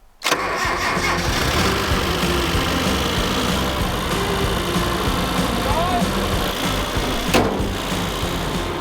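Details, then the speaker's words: Nissan truck started on a jump pack after sitting in the junkyard over a year: cranks and catches, then settles into an uneven, lumpy idle with a ragged beat; rough running, cause not yet known. "running man sounds bad we got to fix that but she is running now"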